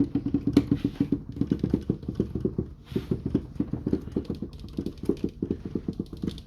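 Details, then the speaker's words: Yamaha Clavinova CLP digital piano after cleaning dust and debris from under the keyboard: soft, dull, even key thumps with no metallic clack; key action now normal, metallic knocking gone. "Соответственно, он сейчас перестал стучать, как бы нету металлического звука."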